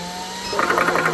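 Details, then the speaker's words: Vevor tabletop PCP compressor start-up while filling a Hatsan PCP air rifle: the cooling fan is switched on first and hums alone, then the compressor kicks in with a fast, even pulsing chug of about ten beats a second. A normal start. "You want to turn the fan on first. Wind it up. That sounds vicious. Make sure I've got my pressure thing locked. Good. Now we're going to turn the compressor on."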